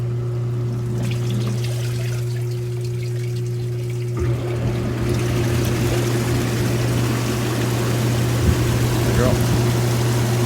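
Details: Hot tub circulation pump after replacing a burnt spa pack with a new BP7 pack, run on high speed to purge air: steady low hum with water rushing and trickling, running smoothly and evenly.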